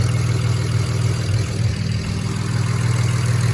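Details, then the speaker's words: BMW 335i at first start after fitting used replacement turbos, oil burning off the engine: a steady, even low idle with no wastegate rattle or tapping. Normal idle. "there is all the oil burning off of the engine sounds good though no waste gate rattle"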